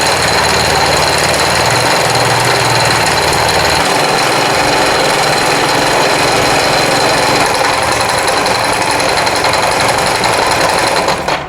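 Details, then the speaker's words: 2016 Italika WS-150 motorcycle engine running with very loud, harsh hammering knock over idle, about three or four blows a second; oil at minimum on dipstick; mechanics suspect crankshaft bearing or possibly camshaft, checking crankshaft play. "no habrán escuchado este motor soy muy muy fuerte la verdad que no me habían traído un motor que sonara tan duro"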